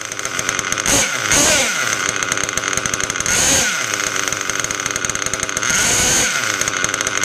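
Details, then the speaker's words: Rebuilt Mugen MBX6R nitro buggy with a clocked Novarossi P5 engine and OFNA 086 pipe, after tweaking the throttle/brake linkage because rpm dropped when braking: a high, raspy buzz holding an even idle without stalling. Idle now normal, before tuning. "all right so we got the idle fixed now we tune it"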